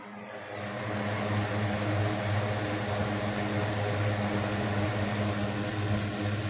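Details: 1960s 16-inch Toastmaster box fan at startup after storage since late 2022: even low hum and soft whoosh swelling up to speed then holding steady, no rattle or wobble; runs good, owner says it needs cleaning and probably servicing.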